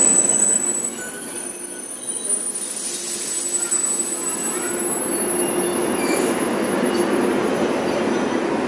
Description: Korea Train eXpress / braking noise record.